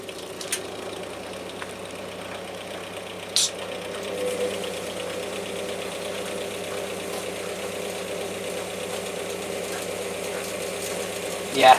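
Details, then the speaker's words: Washer or washer-dryer on a spin-only test, reportedly with an E9 fault: a steady motor hum with a rough crackle and sharp snaps from worn, sparking carbon brushes (E9 is caused by brushes or the board); the brushes are to be replaced. "so brushes a worn down uh yeah it had A9 apparently which is caused by either brushes which you can hear you can hear how Sparky they are or a board"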